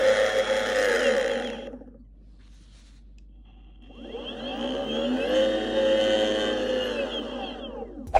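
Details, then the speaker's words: Boosted Board Mini X electric skateboard with three-month-old hub motors: motor whine rises and falls as the board spins up, with a fast repeating click riding on it; the worn motors were replaced. "However, in the last, probably since that video, an issue has sprung up, and the issue being that the motors produce a clicking noise."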